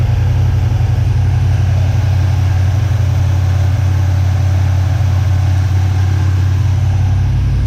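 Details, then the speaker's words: 1979 Chevy C10 squarebody engine after sitting 10+ years, oil cap off: deep, even idle holding steady with no lifter tick, knock or miss; no blow-by, no leaks, dipstick clean with no water, judged a good motor. "So, pretty solid. Doesn't even have any lifter noise or nothing after sitting all that time."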